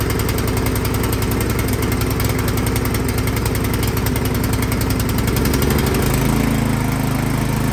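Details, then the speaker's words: Craftsman snowblower engine that started then died, after spraying carb cleaner into the main jet without removing the carburetor: speed rises and falls instead of holding idle; carburetor still partly clogged, fixed by removing and cleaning it. "So it's hunting there, it's surging. So that tells me that something is still clogged up in that carburetor."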